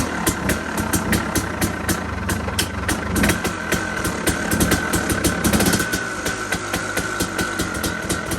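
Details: KTM 250 two-stroke enduro bike, first start after sitting just over 6 weeks, started second kick with choke on; crisp, fast crackle with sharp regular pops over a steady drone, even idle; healthy, small carb overflow fuel spill beforehand.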